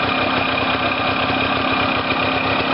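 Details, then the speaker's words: Warm two-stroke engine after engine-failure rebuild (coil wire reconnected, exhaust refitted, flywheel cover still off) buzzing at a steady, deliberately high idle before adjusting the mixture screw, starting from zero plus one turn: high idle speed. "Ben, pour le réglage, hein, comme autrefois, là j'ai mis le ralenti un peu haut, le moteur est chaud, et je vais chercher avec la vis de richesse, en la descendant d'abord."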